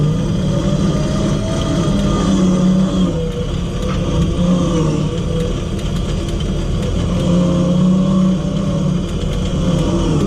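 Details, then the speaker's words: A 12 V winch motor wired for 24 V is pulling in cable on flat ground. The in button is pulsed, and the motor unloads and revs up, giving a continuous low drone with a faint whirring hum that rises slightly as the load eases. This is normal running. "I was pulsing there the in button because it does come lot on flat ground it comes unloaded and you can hear the motor Revlon up"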